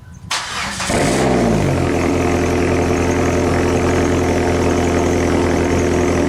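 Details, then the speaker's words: PT Cruiser GT, first start after a week-long timing belt, tensioners and water pump replacement, freshly refilled with coolant, power steering belt still off: cranks briefly, catches within a second, settles into a smooth steady idle with no knocks or misses. "sucked guys listen to that it runs oh my God all right guys well finally after a whole week of messing with stupid thing it's finally up and running again"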